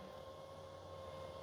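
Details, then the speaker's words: 2022 Mercedes GLC 300 4Matic, low mileage, ignition on with engine off: panoramic sunroof tilts and opens with a quiet, even mid-pitch motor hum, no clicks or grinding; normal sunroof motor operation. "And without the engine running, you can actually hear how smooth it is, no abnormal noises."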